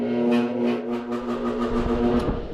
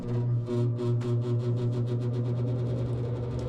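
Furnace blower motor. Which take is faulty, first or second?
first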